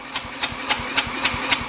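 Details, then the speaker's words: Old Honda 4-stroke generator rescued from trash, engine pulled over slowly by hand before fixing spark; even hiss-and-gulp about every quarter second, normal intake suction on each pull. "Now, well, we got the 4-stroke engine, so it goes suck, squeeze, bang, spit."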